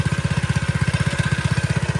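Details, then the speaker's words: Restored vintage mini bike single-cylinder, one-pull start: steady, even thump about eleven beats a second, no misses or knocks, dry clutch needs lube; idles cleanly, runs really good. "Let me get some uh let me get some lube on that that dry clutch. You know, it sounds like a Ducati."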